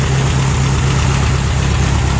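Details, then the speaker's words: Case VAC tractor engine first run on hot-wired key, set on a skid loader, old muffler: low, steady putter with a soft regular pulse and a little rattle; healthy idle, owner thinks the manifold is pretty good. "Got a little rattle there, nothing much. I think it must have a pretty good manifold."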